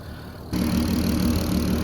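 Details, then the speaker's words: VW Golf R32 turbo V6 petrol at idle after the first four-mile drive on a base map; smooth even idle, the clicking heard is the injectors. "the clicking you can hear is actually the injectors pretty noisy to be fair didn't think they'd be that noisy"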